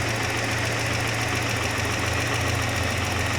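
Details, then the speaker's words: 1988 Saab 900 Turbo after starter replacement and fuel tank and fuel line repair: smooth, even idle with a steady low hum and no knocks, misses or hunting; the engine sounds healthy. "She sounds so good, too, doesn't she? Well, we're fixing things. Left and right. She's coming back to life."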